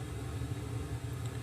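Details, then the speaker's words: Sony STR-313L receiver, phono input, left channel: constant low rumbling roar with no music at steady level, right channel quiet; noisy transistor in the phono front end. "oh I've got a big roar on the left-hand channel and they can hear that it's really quite severe"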